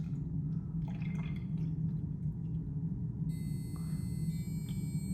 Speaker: All right, as you can hear, so we were pouring water inside it, right? But because it's locked, so the alarm went off, making a sound, and you can clearly see the water level has been increased as well.